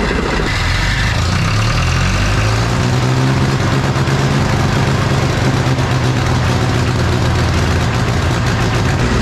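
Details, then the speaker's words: John Deere 1010 diesel tractor, first start after engine rebuild, before proper break-in: clatters into life, then a steady, low, even chug with no knocks or misses; blow-by smoke reduced versus before; normal running. "Blow by remember how that was smoking like crazy before sounds good"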